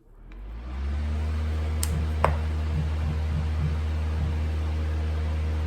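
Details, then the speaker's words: 1980s Super dehumidifier with new replacement fan motor (original had worn bearings) under a current test: spins up over about a second into a steady low hum, even pitch, no grinding or rattle; draws 0.7 A against a 0.8 A rating, not overloaded. "0.7 amps so that's great that's under spec by 0.1 amp perfect the motor is not overloaded which is great"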